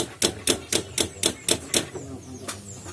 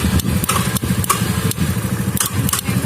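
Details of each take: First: Honda Vario scooter with a two-month-old battery: electric starter gives only quick tek-tek clicks, about four per second, with no cranking; cause is the weak starter relay inside the CDI, not the battery. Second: Honda Vario scooter with new battery whose electric starter only clicked due to weak relay in CDI, after rewiring starter relay circuit: starter spins briefly, engine catches and settles to even idle with light ticking; starts fine now.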